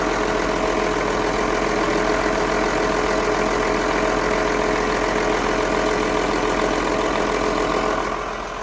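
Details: Carver 466 boat, starboard Cummins 6CTA 480ce 8.3 L diesel, in the engine room after an injector replacement; smooth, even idle with steady fast clatter, no misfire or knock, settling cleanly; healthy.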